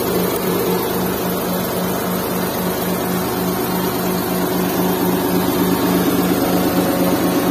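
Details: Restored Suzuki Mehran with 3-speed automatic and 660cc K6A WagonR engine, vibration test with a glass of water on top, started this morning: even, steady idle with a constant low hum, no knocks, misses or shudder; smooth, low-vibration normal idle.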